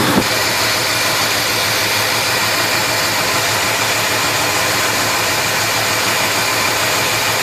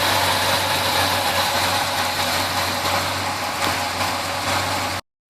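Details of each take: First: 1971 Chevelle 350 V8 idling rough with persistent misfire: number one cylinder dead, plug wet, zero compression with valves held open, despite parts replaced. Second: 350 V8 in a 1971 Chevelle after misfire fix (wet number one plug, carburetor parts swapped and readjusted): idles with a steady, even hum, no stumble or miss, running normally.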